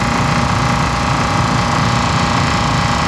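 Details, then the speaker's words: Very old industrial air conditioner on a no-cooling call, fan safety grille off and some air leakage noted, compressor on: a loud, steady, deep drone with an even churning rhythm and no knocks or squeals; running smoothly. "nice and smooth no noises oh wow that feels actually kind of good we're getting some leakage around here somewhere compressors on talk about an old Beast"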